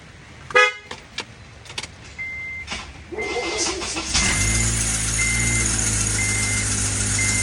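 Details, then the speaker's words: Vehicle also grinding while braking and driving with fully worn brakes and rotors: loud, high, hissing screech over the idle once the engine starts, with a warning chime beeping. "so the second sound was screeching noise while the vehicle is running"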